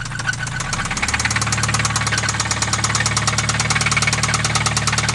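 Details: Acura RSX run without oil, at idle: sharp, even metallic knock about three times a second riding over the idle, steady throughout; rod knock.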